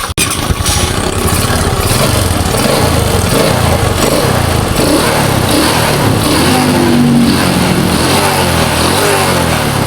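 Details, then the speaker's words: Honda Supra X 125 motorcycle, hard cold starting and stalling, after valve clearance adjustment: catches quickly and settles into a steady even fast idle, no misfire or ticking; back to normal. ", d'accord, la moto est revenue à la normale, les amis, elle roule déjà sans que nous la changions toutes les autres pièces."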